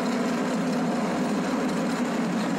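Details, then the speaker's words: John Deere Z915e mower, engine running with deck blades engaged: a steady harsh grinding roar from the deck with no letup. The cause is worn deck spindle and idler pulley bearings. "so what i'm going to do i'm just gonna go ahead and engage these blades to see what this deck sounds like it sounds terrible"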